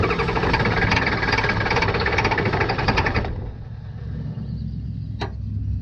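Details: 1989 Ford F250 7.3 IDI diesel after fuel system work, glow plugs cycled: steady cranking near three turns a second for three seconds, never catches, short hiss; fuel supply later found loose.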